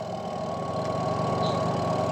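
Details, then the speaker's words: Washing machine that only hummed without spinning, spin motor run on mains with the brake pulled released: steady even hum as it turns freely; releasing the brake lever makes it brake and hum again. "Mau dia berputar kalau e ininya ditarik dia tuh sudah mau berputar."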